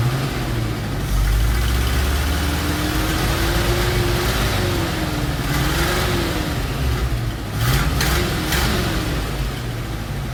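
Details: 1977 Chevy C10 Cheyenne, 350 with 4-barrel Quadrajet, sat several years, revved to free sticking valves: uneven lumpy idle with wavering note and stumbles, misfiring and rough. Vacuum leak at carb gasket; owner suspects cam, carburetor to be replaced.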